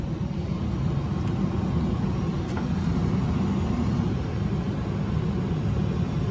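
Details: Johnson Controls/Unitary Products residential gas furnace that had ignition retry lockout (seven flashes, flame dropping after 3 s), running after the flame sensor service; deep smooth continuous rumble, no cutting out; normal running.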